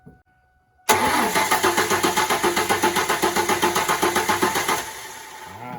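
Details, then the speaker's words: Ford Mustang 3.8L V6 after all lifters replaced for a ticking noise, cranked with fuel pump fuse pulled so it won't fire; even cranking at about four compression pulses a second, regular with no ticks or knocks; ticking later persisted when running. "We're gonna go ahead and crank it to see if everything's still good. Okay, it ain't squirting fuel."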